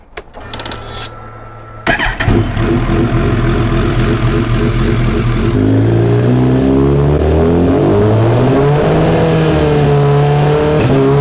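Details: Kawasaki Ninja after fitting a Sprint air filter, fresh plugs, a Power Commander and a quick shifter, before a dyno tune: revs climb in steady pulls, each cut by a brief clean dip at the upshift, with no pops. Minor adjustments are still planned.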